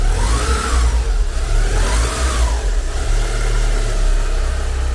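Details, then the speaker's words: 1990 Porsche 944 S2 Cabriolet, 3.0L naturally aspirated four-cylinder, engine cold so revved only lightly: light blips rise and fall smoothly over a steady idle, no knocks or grinding. Normal revving. "So that's a cold engine. We're not gonna rev it up too much. I love these engines. They have so much torque and they deliver phenomenal performance."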